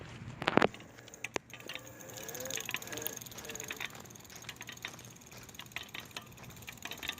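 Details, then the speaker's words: Ancheer folding electric bike: light, irregular ticking and ratchet-like clicks from the hub motor, heard only when riding; no other source could be identified. "there's something clicking and there we can't identify anything else that the click is coming from so it's definitely coming from in there and it only does it when I ride it"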